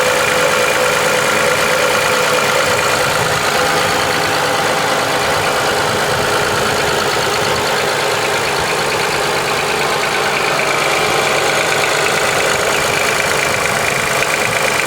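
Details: 2005 Honda Accord petrol V6 idling with a light, fairly steady tick about three a second over the engine hum; owner unsure whether piston slap, valve tick or injector clicking.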